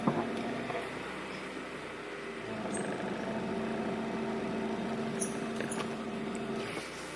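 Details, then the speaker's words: Honda CRV on a test drive around the block after timing belt replacement, following loss of power steering fluid: faint steady low whine over road noise; owner suspects the power steering pump is failing, unconfirmed. "Which just seems fine. So my power steering making noise."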